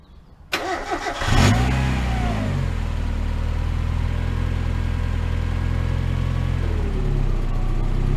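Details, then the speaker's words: Miata after new NGK spark plugs and wires, fixing a rough idle and hesitation: brief crank, catches with a quick rev, then a steady, even idle with no misfire; the owner notes a new weird ticking. "Oh my god. Do you hear the idle? It's so much better. Weird ticking now. But the idle's so much better. It fired up way better."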